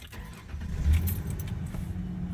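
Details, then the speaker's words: 2001-2003 Ford Ranger with prior hard starts, P0171 code and fuel pressure drop, after fuel system repair, fuel pressure holding about 52: key cycled, engine catches almost at once and settles into a steady even idle; healthy start. "let's cycle it on a couple times for the first start and we'll start her up sounds pretty good"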